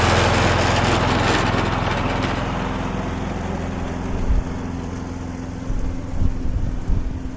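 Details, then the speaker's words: Viking lawnmower, suspected bent crankshaft ruled out, relatively new plug, auto choke: steady even single-cylinder beat, no shake; a bit smoky from being tipped on its side; no longer vibrating, running normally. "Okay, it's a bit smoky cuz it's been tipped up on its side. So, I just want to let it run for 5 minutes and see if it clears. Before I do, I want to check the oil, but it's certainly not vibrating like it was."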